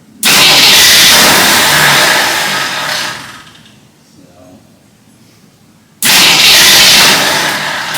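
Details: Full-size Jeep carbureted engine, first start attempt with the electric choke possibly not working: two long cranking bursts that never catch. A stuck carburetor needle and seat starved it of fuel, and the starter solenoid also failed. Crank no start.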